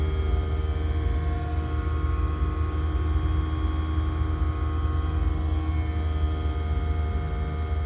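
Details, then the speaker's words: Aqua Hot 400D diesel burner in a motorhome running after yearly maintenance (new fuel filter, chamber cleaned, fuel nozzle replaced), cover back on; steady low roar with even hum, no pulsing or sputter: normal burner operation. "All right, we just put the cover on and just turned it back on. It's currently running."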